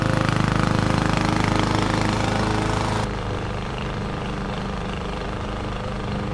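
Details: 21-inch Husky push mower (11A-B2M7031), Powermore OHV engine, fresh oil, started first pull: steady, regular chugging about four beats a second, settling slightly quieter midway, mulching grass without faltering.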